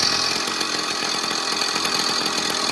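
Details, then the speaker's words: Pedal bike with Chinese 2-stroke engine after exhaust leak fixed with homemade gasket and new hardware-store studs: steady high buzzy drone, no popping or leak hiss; much quieter and more stable than before, normal running. "it may not seem like it, but that is a lot quieter than it used to be. It's a lot more stable."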